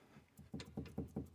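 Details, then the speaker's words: Citroën GS right-side inner steering ball joint rocked by hand: about six dull clunks from roughly 2 mm of free play, worse than the left side, found after the front wheels felt flimsy at inspection; joint to be replaced. "I'm at the right side now, and man, listen to this. I think you can actually see it there. This was way worse. This is like 2 millimeters."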